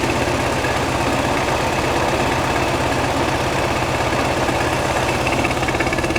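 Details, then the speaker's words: 1969 VW Beetle 1600cc with dual 34 carbs and ratio rockers, freshly installed, after setting the idle and mixture screws: a steady but slightly lumpy flat-four idle with mild shake, still a touch rough; the engine's internals are unknown. "It does have some shake, but like I said, I don't know what's in I don't know what's in the engine."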